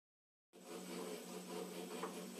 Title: emco compact 8 spindle noise part 3